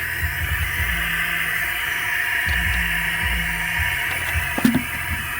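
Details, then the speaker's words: Cooling system pressure-tested with shop air, engine off: steady airy hiss of pressurised air escaping; leak found at the radiator, aluminum thermostat suspected of causing damage. "You can see the radiator leaking, but how the hell that happened?"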